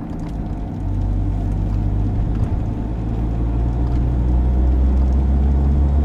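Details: 22-year-old car with 150,000 km, driving: a deep droning roar building with speed, low and steady under road noise, rising and falling with vehicle speed; a worn wheel bearing.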